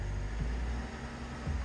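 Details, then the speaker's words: Flood-damaged 2007 Cadillac CTS, about 50,000 miles, engine power reduced: idles with two brief small lifts that die at once, won't rev; cause found to be a disconnected throttle position sensor plug. "No, so it's got engine power reduced. It won't even let me clear that. I don't know why that is. I'll have to plug in my scan tool and see. Oh yeah, you can feel it. Won't let me rev it up."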